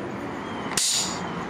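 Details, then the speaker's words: Old Brute air compressor with leaking unloader valve (check valve replaced, no change) that fails to start and trips the breaker; quiet hum cut by one sharp sub-second air hiss as the unloader dumps head pressure. "And when I do that, it goes psh, and it lets the pressure out."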